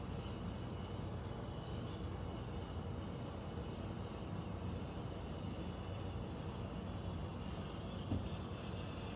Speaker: is the sound the air conditioner is making in the bedroom. Sounds like it's above the closet.